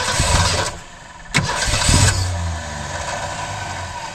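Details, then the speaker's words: 1962 Ford Falcon wagon with 200 cubic inch straight six, sat over 20 years; catches with a few ragged bursts on fuel poured into carburetor, then fades and dies; no fuel reaching carburetor, fuel starvation. "I can guarantee it's not getting any fuel up in that carburetor"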